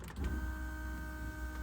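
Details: Turbo LS2 Camaro that was losing fuel pressure at wide-open throttle on wastegate: fuel pump number one gives a clean steady high whine at one pitch without surging or rattling; this pump is normal, the secondary pump is suspected failed.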